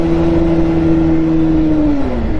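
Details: Bajaj Pulsar 150 BS6 with worn clutch plates, ridden in gear: the engine note climbs and holds high, then sags, with no harder pull, revs running away from road speed; clutch slip.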